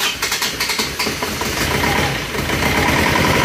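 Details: Isuzu Panther diesel after rebuild for blow-by caused by coolant loss, refitted with cast liners and old piston rings, new fan belt: several quick starter cranks, then catches and settles into a steady, even run; clean start after rebuild.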